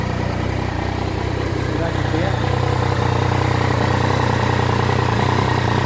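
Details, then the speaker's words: Triumph Tiger 900 GT at 19,407 km after its 20,000 km service (filter cleaned, spark plugs replaced), idling: smooth engine with hollow breathy whoosh around the airbox; new odd noise after service, intake side suspected. "Ok vou ligar aqui para vocês verem esse ronco esse barulho se dá para perceber vocês me fala valeu"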